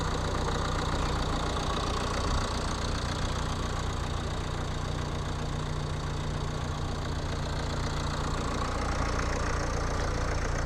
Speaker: Cam așa se aude la rece. Motorul de 2.0 diesel de pe Nissan X-Trail din 2007-2008 modelul.